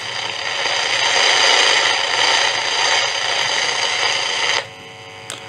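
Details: Philips 206A valve radio built in Holland in the early 1940s, very poor condition, side-contact valves: loud steady hiss with no station or voice, then drops out; not receiving. Tracer suggests weak amplifier and tuning problem, oscillator suspected not working.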